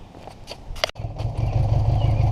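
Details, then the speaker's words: 1980 Honda GL1100 Goldwing on its first start during revival, started cold with the clutch pulled in (swapping the starter solenoid did not help); quiet cranking, then it catches into a low, even rumble that steadies; it runs, and is cold-blooded. "Hey, guess what? It runs. It's cold-blooded."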